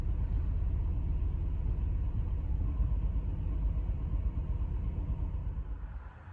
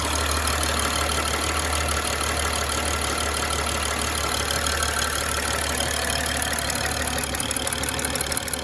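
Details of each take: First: Fuel injector replacement 2011 BMW X5 E70 w/N55 109,000mi P0306 cylinder 6 misfire surging idle warm engine. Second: 2011 BMW X5 E70 with N55 engine, 109,000 mi, after fuel injector replacement with Bosch injectors for P0306 cylinder 6 misfire and surging idle: steady, even idle with light regular injector tick, no stumble or surging.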